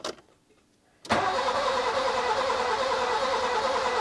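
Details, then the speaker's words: Nissan Micra K11 with fuel pump fuse removed: starter cranks steadily at about three turns a second but the engine never catches, clearing a flooded engine still full of fuel. "It's definitely flooded. It's got a lot of fuel in there still. I'm just trying to clear it"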